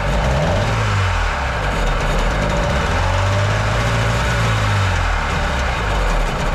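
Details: Jet boat engine after carb rebuild on the other engine, whose carbs are now suspected to need rebuilding; a kinked choke line was sticking. Low two-stroke drone keeps rising and sagging instead of holding idle; owner notes a top-end bog. Rough idle.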